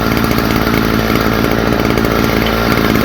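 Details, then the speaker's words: Stihl FS45 trimmer: small two-stroke screams at steady high speed, even and clean with no surging or missing; runs properly. "So anyway, uh there you have it. She back in one piece running."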